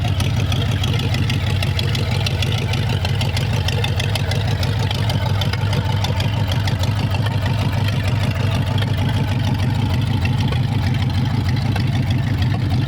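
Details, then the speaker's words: 1932 Roadster flathead, original 1932 ignition switch wired to a push-button start, carburetors only roughly tuned: starts right up into a deep, steady, even burbling idle with no knocks or misses. "so now it is a normal push button start so you flip this on for ignition starts right up"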